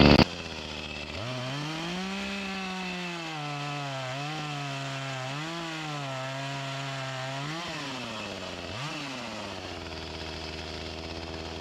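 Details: Echo CS-352 chainsaw that starts then dies, before repair, cutting at the woodpile: it revs up, then the pitch sags and labours through each cut; bogging from fuel starvation even with the mixture screws at max under limiter caps, fuel line or carburetor suspected.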